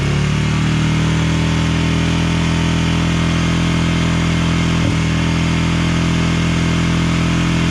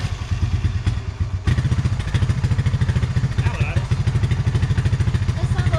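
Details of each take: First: 1999 Honda TRX 300FW ATV after years sitting with bad gas, first run, on choke, air box lid off: single thumps with an uneven, hunting beat, rough running; possibly tuned for the lid. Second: Honda TRX 300FW ATV single-cylinder after carburetor cleaning, idle turned up, not running very hot: steady, even thumping idle with a firm low beat and no misses or stumbles; sounds a lot better, normal idle.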